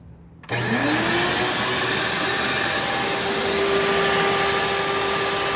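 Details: Curbside Rainbow E Series vacuum with a bad internal gasket, reassembled, water basin filled: the motor spins up quickly to a smooth, steady high hum with no rattle or scraping; running normally.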